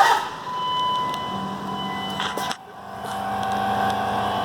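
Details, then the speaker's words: New AirDog lift pump on a Dodge Ram 2500/3500 Cummins, replacing a failed performance lift pump, just plumbed and wired: a steady, fairly high electric hum with a low drone that dips briefly midway as it primes normally before the first start. "Got it primed. So we'll get up here and we'll see if she starts. Can hear it priming."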